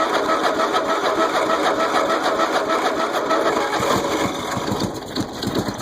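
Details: Small mower engine first start after being flooded with mossy water, starter brushes cleaned, on choke: catches and keeps chugging at a fairly steady beat, a bit rough but holding; runs again.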